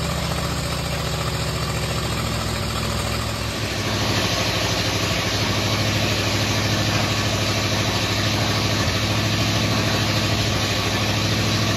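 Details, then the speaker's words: 1950 Ford F1 flathead V8 just reinstalled, no exhaust or muffler fitted: steady, even open-pipe rumble at idle with no knocks, misses or lope, firing cleanly on all cylinders; normal idle. "Lord, it needs a muffler. Ain't got no exhaust on A it."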